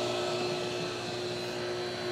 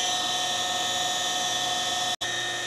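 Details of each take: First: Pentair/Sta-Rite Dura-Glas in-ground pool pump after replacing the loud motor and leaking seals, just powered up: steady, even electric hum with faint whine and smooth water rush, quiet, no rattle or grinding. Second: Pentair/Sta-Rite Dura-Glas pool pump motor, old and also leaking water at the seals: loud, constant high-pitched whine over the motor hum; possibly worn motor bearings, owner plans to replace bearings or the whole motor.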